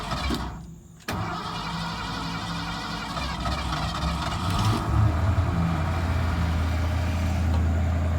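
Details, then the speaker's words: 1979 Ford F-100 Ranger with a carbureted 302 V8, after fitting the right replacement part, topping off coolant and power steering: the starter cranks briefly, then the engine catches into a steady, even rumble. Cranks and starts cleanly. "yeah she fired up that time so hoping that was it finally got the right one in there"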